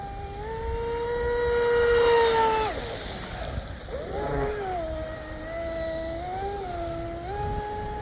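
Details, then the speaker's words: Dominator RC boat, rebuilt TP Power 4060 motor, highly modified ABC 1916 prop: electric whine sags and wavers in pitch as the boat pulls away, motor bogging under load; owner suspects too much prop. "be too much prop, boys. Still sounds like it's loading up. Might have done too much mods to it."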